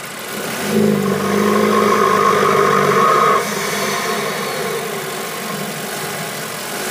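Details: 2.0T FSI BPY Audi A3, stock K03S turbo: steady hollow howl over the engine only under load with throttle open, dropping away as the throttle closes; began in cold winter weather, unlike turbo spool, source unknown.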